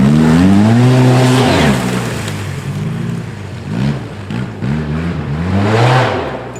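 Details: 2010 Arctic Cat Z1 Turbo snowmobile after replacing the heavy, overheating OEM muffler; deep engine note revving up and settling, smooth and even, no knocks or rattles; normal running after muffler replacement.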